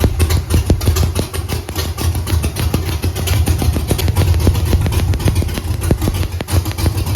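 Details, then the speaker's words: Camaro with Holley EFI 5.3 LS V8 at idle: lumpy, uneven loping beat with irregular popping pulses; running on about four of eight cylinders; spark tester shows even cylinders 2-4-6-8 firing, one bank seems dead. "this morning I'm going to wreak some havoc in the neighborhood with my 4cylinder Camaro uh it's supposed to be run on eight but it's not"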